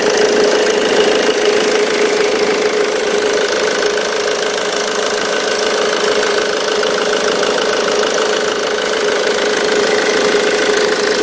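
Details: 2005 Ford Mondeo Mk3 2.0 TDCi 130 hp diesel idling: fast, uneven light rattle, about three ticks a second, over the clatter from the auxiliary belt tensioner.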